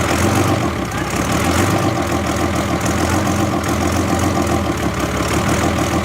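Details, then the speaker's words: 2008 Ford Super Duty diesel just after first start, ether sprayed in intake: deep, uneven idle with a lumpy, shaking beat; crew think ether and air still in the VP44 injection pump cause the rough running. "Is it being violent like that because of the ether? Yeah. Still get a lot of air out of it."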